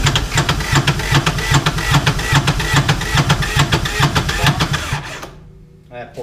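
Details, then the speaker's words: 2011 Kawasaki Mule 4010 diesel UTV, unused about two years, after valve train rebuild: sluggish cranking about two and a half compression beats a second, never catching; battery power dropping and starter overheating suspected, smoke from exhaust. "well we're losing power better battery power that starter is probably getting too hot that's the problem crank it"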